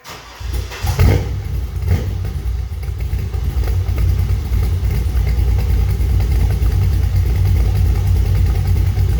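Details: Corvette engine: catches after brief crank, strong, even, deep idle with no ticking, knocking or smoke; runs healthy for about 8–10 minutes, though a pulley wobbles too much and needs changing. Normal start and idle.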